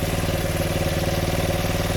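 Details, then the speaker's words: 1975 Honda XL100 K1 single with a replacement Chinese carb, at idle. Steady idle with a fast, even light rattle on each firing pulse. The owner is unsure whether it's the engine or something rattling on the body. "still got the odd funny noise but i'm not sure if that's something rattling on the body for a lot"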